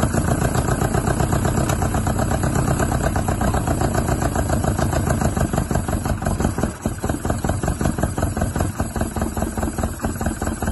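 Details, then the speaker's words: Isuzu Bellett GT-R restarted with air filters off and the throttle stop screw not working; uneven, lumpy idle that stumbles and weakens midway. Owner suspects poor carburettor jets and plans to strip the carbs. "yeah I reckon it's probably normally uh well Jet's not being very good have to strip the carbs"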